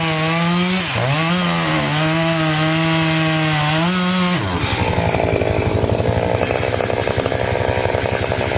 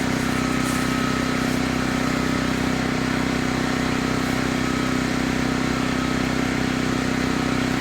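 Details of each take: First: Two-stroke chainsaw holds a steady high scream, then bogs into a ragged rasping cut through a dirty, sandy log; the owner had cleaned some dirt off first. The sand is dulling the chain as the cutting goes on. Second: Chainsaw of roughly 50–60cc (owner unsure, maybe 58), on its second tank of gas and barely broken in, cutting old wood: a strong, steady drone holds pitch without bogging, pulling hard under load, normal.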